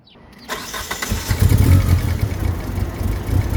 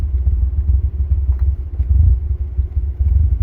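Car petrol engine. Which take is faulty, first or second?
first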